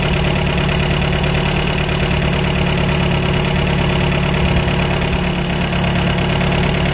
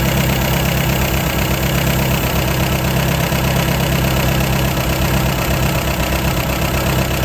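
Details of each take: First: 1953 MG TD after an engine teardown. The twin SU carburetors have been mixture-tuned, and the tachometer idle looks right before the settings are locked in. The idle is steady and even, with no stumble or hunting. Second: 1953 MG TD after engine rebuild, tuning twin SU carburetors, idle: fairly fast, slightly uneven idle with a soft pulse; both carburetors too lean.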